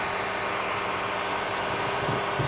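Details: Stock cooling fan of a 12 V 30 A DC power supply, before replacement: a constant loud whoosh of air with a thin steady hum. The fan simply runs very loud.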